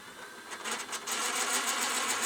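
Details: Ferguson 3V22 VHS top loader (JVC HR3330, mk3 mechanism) with old congealed grease cleaned off: fast fine mechanical chatter with a hissy edge from the tape mechanism, like a dry rubbing part; owner oils it, cause suspected.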